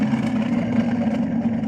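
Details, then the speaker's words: Thermomix TM31 with excessive noise traced to the motor rather than the blades: loud steady motor hum with a strong buzzing tone around 200 Hz. "Y aquí vamos a escuchar claramente el ruido que está generando el propio motor."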